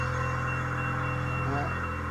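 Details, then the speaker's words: Piezo low-air warning buzzer on a railway baggage car's brake air compressor, battery-wired, sounding until 110 psi; steady high buzz over low compressor drone. Compressor cycles 120–160 psi. Normal low-pressure warning. "the piezo buzzer just like in a truck where they have the light or the buzzer to let you know just the air is not up to to uh enough um pressure yet so i'm gonna turn this on now and it will buzz until 110 pounds"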